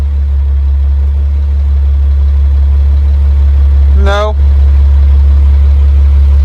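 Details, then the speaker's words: High-mileage 2003 Dodge Ram 3500 Cummins diesel with glasspack muffler at fast idle: steady deep rumble, even pulses about four a second with no knocks or misses, runs fine. "Seems to run all right. >> Sounds good."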